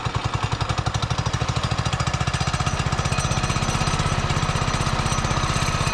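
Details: Barn-found Subaru Hyper Fox (Manco) go-kart engine, carb refitted, air filter assembly missing, on choke: rapid, even chugging beat holds steady with no misses or surging; running normally.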